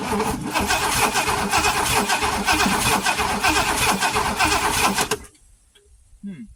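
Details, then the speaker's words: Classic Oldsmobile Toronado, long unused, cranks steadily at about four turns a second with no firing, then stops; no spark found, and the owner suspects ignition points out of alignment and not closing fully. "Nope, we are not getting spark. That is very, very unusual."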